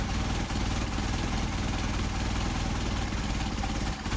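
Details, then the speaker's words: Engine with Solex 44PHH carburetors, idle mixture screw turned out to an extreme during adjustment. RPM drops and the idle sags, turning lumpy with a loping beat before returning to the midpoint. Rough idle from mixture screw too far out. "again, the engine, the RPM is dropping, so what we're going to do is go back to our midpoint here, to our best idle."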